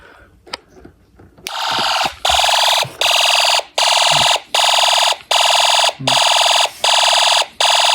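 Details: Homemade Snap Circuits fire alarm system test after panel unsilenced: harsh buzzing horn pulses steadily, about 80 blasts a minute with short clean gaps. Fire alarm horn sounding normally.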